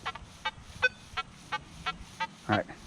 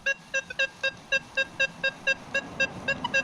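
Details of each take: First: Nokta Legend metal detector in a test garden switched to 15 kHz over iron: choppy, uneven chirps and broken tones instead of a clean signal, sounding super junky. Noisy iron target response at 15 kHz. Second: Nokta Legend metal detector in a test garden on multi-2 frequency at 30 gain over iron: crisp, clean beeps about four per second over a quiet background with no chatter. Clean iron target signal.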